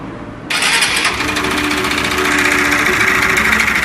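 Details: 2014 Honda Fan 150 motorcycle worked on about a week earlier: the engine catches and settles into a fast idle with light, rapid tapping, a strange engine noise. Piston slap from a scored piston and bore.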